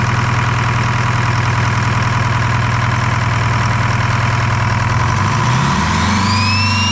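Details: Detroit 4-53T diesel after swapping failed 9G90 injectors for 7A77s and replacing a loose fuel suction hose clamp; steady diesel clatter at idle, then smooth climb in pitch as it revs, even with no misfire; normal idle and revving.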